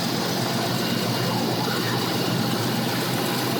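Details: 1988 Ford Mustang GT 5.0, speed density, GT40P heads, MSD ignition: steady idle with uneven, lumpy beat and occasional stumble; random misfire persists after replacing wires, cap, rotor, plugs, coil and TFI module. Fuel pressure 37 psi at idle; owner plans to replace ECT sensor next. Cause unconfirmed.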